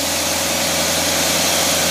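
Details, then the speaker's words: Engine on a test stand running a Cadillac Carter AFB carburetor under a dyno load of about 400 ft-lb, likened to climbing a hill fully loaded; steady, even roar with no stumble or misfire, pulling the load cleanly. Normal engine running under load. "the equivalent of going up the hill in that big old Cadillac with four great big old fat guys in there munching down on them"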